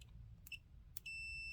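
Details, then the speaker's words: Multimeter continuity test while troubleshooting a Suburban SF-30F RV furnace in a 2007 Keystone Sprinter: probe clicks then a clear high-pitched half-second beep, normal continuity tone showing a good connection; furnace fault traced to a bad control board. "Basically you put one on one end, one on the other. And if it's good, you hear that? So it's good."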